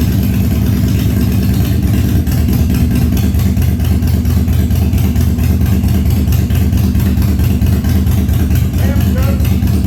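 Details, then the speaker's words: 1997 Harley-Davidson Fatboy after carb clean, new spark plugs and new battery, cold start at 70 degrees humid on full choke: deep loping V-twin rumble running steadily, no misses or stumbles; healthy. "uh the bowl should be full of fuel should start up pretty quick let's see uh I'll go ahead and choke it since it's basically a cold start we'll try full chug first and see what we get"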